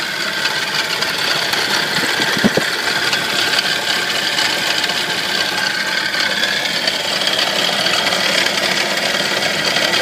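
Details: Nissan 240SX engine idling: steady metallic rattle riding over the engine, heavy on the bright end; cause unknown.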